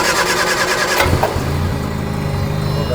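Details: British car: cranks and catches about a second in, then uneven, lumpy idle with irregular pulses; running rough, cause unclear.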